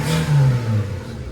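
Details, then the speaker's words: Daihatsu Mira small petrol engine blipped and settling to a smooth deep hum with no squeal or ticking, after a loose bolt was found causing the earlier squeal and exhaust-leak noise. "should I turn it off yeah it's not making noise I know a loose bolt wow"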